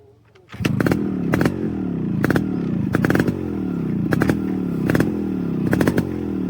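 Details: Restored Yamaha RX 135 two-stroke with its original engine and an RX-Z exhaust fitted: crisp crackle with a throttle blip about every second, pitch dropping smoothly after each; clean, even, healthy running.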